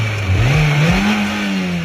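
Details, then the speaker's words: Engine that knocked above 1500 rpm, after the engine was replaced (camshaft bearing play was found first): it revs up and settles cleanly, with an even pitch rise and no tapping or knocking; healthy. "Как видите стуков никаких нету"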